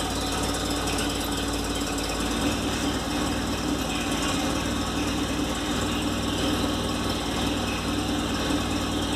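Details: VW Golf Mk3 with single-point injection: idle stumbles and pulses unevenly with irregular misses. Rough idle from a faulty idle air control actuator; the problem was resolved by addressing it.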